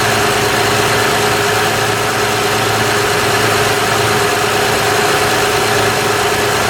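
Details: 2006 Honda Odyssey EX-L RES with a newly replaced power steering pump, filled with Honda fluid: a steady thin whine over an even idle as the new pump complains, sucking air before it is primed.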